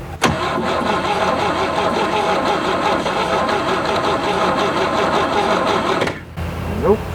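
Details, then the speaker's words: 1967 GMC C20, 305 big-block V6 after 7+ years sitting: even cranking for about six seconds with fuel added, never catches, no spark; points work but arcing at coil wire, crusty distributor cap and rotor suspected. "was a little bit of a loose wire that I tightened up and got a spark out of it it sure isn't acting like there's any spark now is it"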